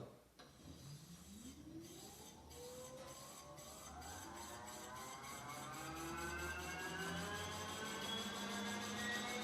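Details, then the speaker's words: 1978 Kawasaki KZ200 converted to 4000 W electric motor on 96 V battery: silent when powered, then a clean whine climbing smoothly in pitch as throttle opens and speed rises, no grinding or clunks; normal electric motor running. "literally as of right now you can't hear anything it's quiet but it's ready to go and all i have to do is turn the throttle just like a regular motorcycle"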